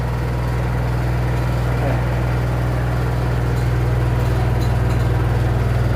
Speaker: Olha aí, pessoal, a máquina fazendo barulho, ó.